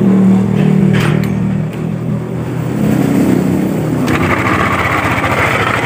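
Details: Yamaha Aerox scooter, noisy near CVT case and primary pulley; cam chain, tensioner, camshaft bearing and rocker arm checked fine: rough clattery knock following the revs, traced to a worn connecting rod and crankshaft bearing; reassembled while awaiting parts.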